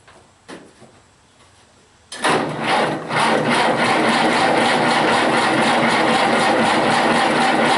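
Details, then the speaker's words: Massey Harris 81 tractor, sitting about 15 years, new battery, spark confirmed, in neutral, starting fluid used: starter turns engine evenly for several seconds without a single firing pulse; cranks but no start, cause unconfirmed, spark to be checked. "so all right with some starting fluid and if that doesn't make her pop then we're going to go to check and spark"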